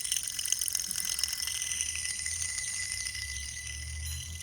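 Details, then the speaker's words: Idler pulley removed from 2001 Ford Mustang GT, spun by hand: dry gritty rattle with fine clicks as it coasts down; in the car it sounded like a loose belt; worn idler pulley bearing. "just keep in mind that these are not supposed to make any noise whatsoever but this one this the bearings they're just really worn out and inside"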